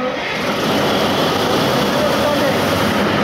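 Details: CAT 3512 GD (2008) generator engine after clearing emergency-switch fault that caused no-start: loud steady roar with no knocks, surges or misses; big diesel running smoothly and evenly.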